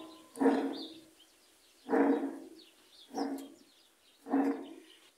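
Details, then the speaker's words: Admiral heavy-duty top-load washer, about 20–22 kg, two speeds, eight cycles: water leaking past a failed tub seal reached the tub bearing, giving four deep growling surges about every 1.5 s as the tub turns; deafening noise during washing. "entonces cuando le atrae agua a este valero lo que se va a oír es un ruido que ya hemos oído ahí está el ruido"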